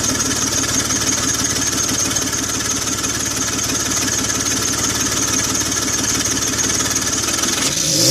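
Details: 2004 BMW X3 3.0L M54, microphone over the engine bay with hood open: rapid puffing tick over steady idle that quickens when revved; exhaust leak near the manifold.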